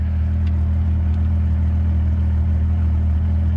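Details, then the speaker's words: 1998 Jeep Cherokee XJ after full electrical overhaul: steady, even low hum with no misses, knocks or ticks; smooth, healthy idle. "she runs good okay I'm gonna call that good we got all the electronics fixed in so I can put that back together"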